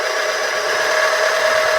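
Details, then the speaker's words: Compactor plate exciter, belt removed, spun by hand: harsh, gritty grinding with a thin steady ring from bearings failed through lack of oil (barely covering the bottom instead of 100 ml). "I haven't got the bearings out yet, but obviously that's the problem."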